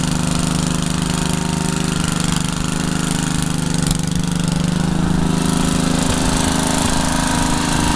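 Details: Troy-Bilt tiller test drive after engine rebuild, tilling garden: single-cylinder chugs steadily, dipping slightly as tines bite then recovering; runs evenly under load, though owner saw heavy smoke under heavy load and wonders about blow-by past rings.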